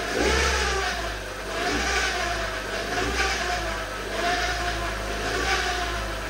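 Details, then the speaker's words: Peugeot 207 automatic at 73,000 miles, light throttle blips: a metallic rattle rides over the revs, mild at tickover and swelling as soon as the throttle opens. The mechanic suspects the automatic gearbox; the cause is unconfirmed. "so I hope you can hear that noise it's I don't want to run it for too long I want to stop it it's only done 73,000 mil but that I'm literally touching the pedal not even reving it hard literally just giving it a few revs"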